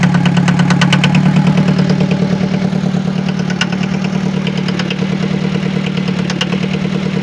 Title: Forklift Engine Noise Problem | Workshop Inspection | Diesel Engine